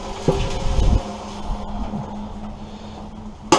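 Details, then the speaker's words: Stripped old air compressor tank tipped by hand: gritty clatter and rattle of loose rust flakes inside; a lot of rust, unsafe to pressurize. "tip it up see if you can hear the amount of rust that this tank has inside it it's got a lot which is not safe to pressure off"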